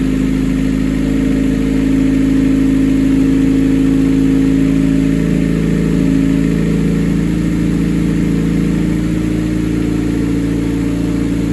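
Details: 1988 Honda CRX, mid-engine Acura Integra swap with custom turbo kit, after build: steady even engine note with firm low drone, no knocks or rattles; normal running.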